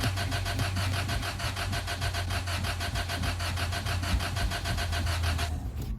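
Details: Car cranks steadily with even, fast chuffs for over five seconds but never fires; cranks, no start, stranding the owner again.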